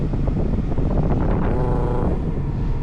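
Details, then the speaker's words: 1988-1991 Honda CRX Si after installing new blower motor, engine running, A/C on: steady airy fan rush over engine hum, no rattle or squeal; slight vibration said normal; blower working properly. "The difference? That vibration that you're hearing is normal on the vehicle."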